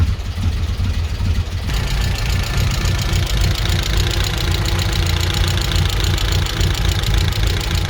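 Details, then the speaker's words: 1994 Vauxhall Astra GSi C20XE four-cylinder with new battery, new plugs, all four cylinders sparking; idle still slightly lumpy and hunting, cause not found. "it's still a little bit lumpy but again i i think it's i think this is genuinely the best it's ever run"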